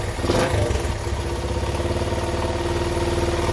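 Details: 1975 Honda XL100 K1 single, just after a new ignition switch was fitted. It settles into a steady, even putter after a brief blip, with no clatter or misfire: healthy idle.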